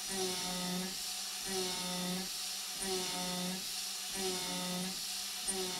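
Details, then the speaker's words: Avid CNC Benchtop Pro, 2.2kW spindle, A36 mild steel at 0.25 depth, 0.07 step-over, 12,000 rpm: high steady whine with even cutting hiss pulsing each pass; slight bog after helical ramp, then no chatter, hot blue chips. "once it got into the cut continuously it sounds just fine honestly there's no noticeable chatter the chips are nice and blue and rather hot"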